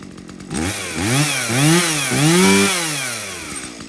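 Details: Stihl MS170 two-stroke chainsaw that doesn't run well, fuel checked clean with no water and bar oil full: revs surge up and sag back several times without holding speed. Poor running, cause not yet confirmed.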